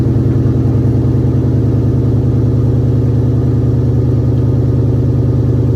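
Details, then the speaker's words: 2003 Mustang GT 2V after sitting a while, cold start on jumper cables, camera at the rear: deep V8 cold idle with an uneven beat about three times a second. Misfire or sputter, which remained after an earlier fuel pump replacement. "Last time I drove it, I had to change the fuel pump in it because it was running real bad, like missing. So I changed the fuel pump, put a new fuel pump in it, and I took it out, and it still had that missing, that sputter to it."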